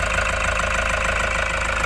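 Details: 2018 Toyota Hiace Commuter diesel after a cranking no start was fixed (ants nesting in a relay component broke contacts): steady, even diesel clatter at idle with no misses, now a one-click start.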